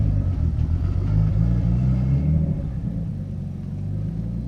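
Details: Nissan 240SX S13 with RB20DET inline six, under light load up a driveway: low uneven, stumbling rumble, running on five cylinders; smooth at idle; suspected ignition coil.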